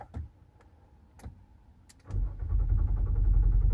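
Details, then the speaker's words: 2024 Nissan Pathfinder R53 crank-no-start: quiet clicks, then the starter spins the engine with an even churning beat but it never catches. "So ang concern dito is not starting. So ayaw may start. So nagka-crank lang siya."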